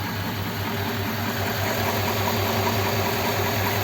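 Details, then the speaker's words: Rebuilt Ford 59A flathead V8, 239, in a roadster, fully warm, air filter off, idle just lowered: steady, even low idle with light carburettor hiss, no knocks or misses; healthy flathead. "you know with the air filter on you wouldn't hear that carb nice about to slow it down a little bit foreign there nice just a nice old flattened 239"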